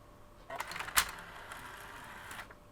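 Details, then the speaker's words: PS3 Slim after cleaning dusty Blu-ray drive rollers: short light clicks and brief whir as mechanism cycles, then quiet; disc ejects cleanly, normal. "That is playing, ejecting nicely now."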